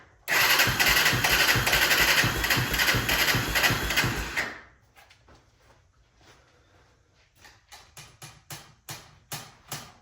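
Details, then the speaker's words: 1996 Honda 300EX ATV with a no-start, no-run history: it fires and runs rough for about four seconds, then dies and won't hold idle. A carburetor fault is suspected, so the carb will be pulled and the original may be cleaned. "So, it looks like we're going to go ahead and have to pull that carb off. I may just go ahead and clean the original one since that one's a lot better."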